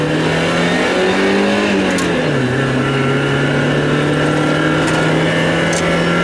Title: miata stumble and misfire